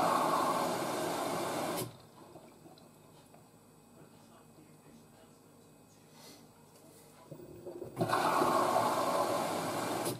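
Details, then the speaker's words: New washer dryer flushing the pre-wash through the detergent drawer with cold water in little pulses: a rushing water spray, a quiet pause, then another steady gush, while the panel flashes the cycle stage. Normal detergent drawer fill. "so the machine flashes to let you know what stage of the cycle she's on and do little pulse flushes here"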